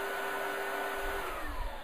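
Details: Pro 12 single-motor commercial upright vacuum, two-belt drive with a belt-speed sensor light: smooth, even motor whir with steady tone, no rattles or pitch wobble; running normally.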